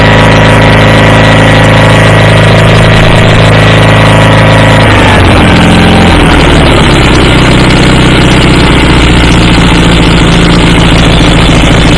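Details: Circa 1976–79 Sears GT18 tractor, Onan 18 HP twin, after carburetor cleaning, brass float and fuel pump rebuild; steady twin drone running smoothly through the rpm range, no stumbling: normal running.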